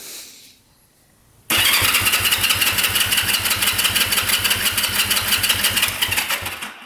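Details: 1971 Honda CL350 Scrambler, not run in over 25 years, during compression testing (180 psi right, 170 psi left): steady fast cranking at about three beats a second with even compression pulses; healthy starter and engine.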